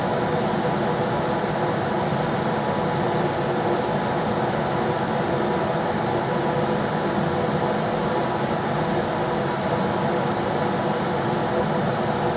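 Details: Rheem RBH residential air handler after its squeaking, non-serviceable blower motor was replaced with a 1030 rpm motor (old one 825 rpm): on high there is a constant, smooth air whoosh with a level motor drone and no knocks or squeals. Normal blower operation.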